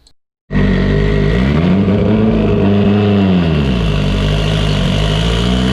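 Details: Evo 8 on dyno, built 2.0, GTX3584RS, Haltech Elite 2500, after swap from GTR coils to Toyota Denso coils and fuel/timing/boost tweaks: hard steady full-load pull at 25 psi on 93 octane, no stumble or breakup.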